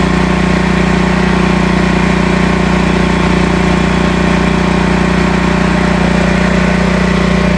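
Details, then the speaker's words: Northstar 10000 10 kW auction generator: small petrol engine running with a pulsing, uneven beat about 200 a minute; rough running, owner suspects dirty carburetor. "Carburetor's dirty. Choke's"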